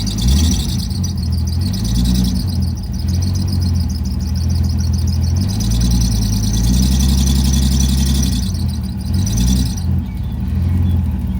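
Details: 20E engine started on a replacement battery. Revs surge and sag on their own every few seconds instead of settling into idle. Erratic idle; a temperature sensor is suspected but the cause is unconfirmed.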